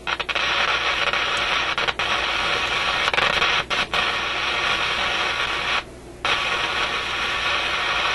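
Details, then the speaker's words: Canadian General Electric KM-5 vacuum tube radio, paper capacitors replaced, loud speaker hiss with sharp crackles and dropouts; intermittent fault in the audio output stage, suspected heat-related contact or bad tube contact. "m kind of sounds like a heat related thing or something he's making contact Heating and then breaking off it's quite a distinct on and off to it"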